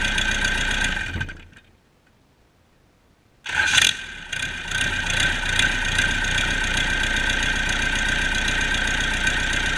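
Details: Cummins 4BT 3.9L turbocharged diesel test run after customer repair: cranks after pause, catches quickly, settles to steady even idle without knocks; normal idle.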